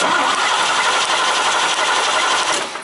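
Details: Old modified Chevy 5.0 V8 with manual transmission, low-power complaint and cam/crank correlation code 1345; cranking after pumping the gas: steady starter cranking about four turns a second, engine never fires or picks up speed. Crank no-start; spark later confirmed, fuel pressure then checked.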